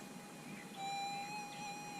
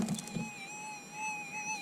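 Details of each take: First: Minelab SDC 2300 gold metal detector with sensitivity turned down to 4; threshold is a calm, steady high hum holding level with no warbling, though about a couple of inches of depth is lost. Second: Minelab SDC 2300 gold metal detector with sensitivity set on 5; threshold tone is a high hum wavering slightly up and down, a little erratic because of the high sensitivity.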